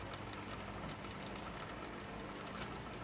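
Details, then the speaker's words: Sony CFS-710S cassette under repair: the unstable pinch roller turns jerkily, with a constant raspy scraping and uneven tape motion. The intermediate idler wheel also needs fixing. "Bánh tì không ổn định này. Nó quay nó hơi giật này. Các bác một tiếng nghe tiếng rột rè rè rè đây."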